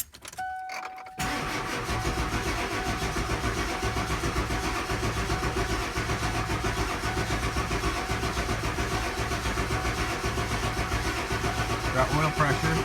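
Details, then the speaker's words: 7.3L Powerstroke diesel after injector O-ring replacement, in really cold conditions, with the HPOP, head oil galleys and fuel empty: steady starter churn near four beats a second for over ten seconds without firing while the oil and fuel pressure build. "it's gonna take a while of cranking to build up pressures so it's gonna be a little bit I guess frust frustrating because it's not gonna fire right up"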